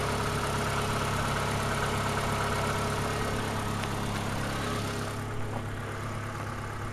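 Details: Ford Escort warm idle, reported to have a slight misfire only when cold and no smoke: smooth, even low-hum idle with no tapping or misses, running quietly and healthy.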